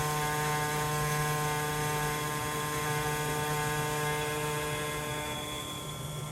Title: 2023 Tesla Model 3, new compressor has loud/buzzing/metallic grinding sounds @ 22 to 45 second mark